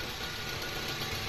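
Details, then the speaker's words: Suzuki SX4 after fixing a crank-but-no-start fault: smooth steady idle with even low hum, no misses, shake or irregular beat, engine running healthy. "normal idling Wala naman siyang so normal idle So doon tayo sa makina so Ayan Normal naman nasa sobrang tining pa nga ng makina napaka smooth"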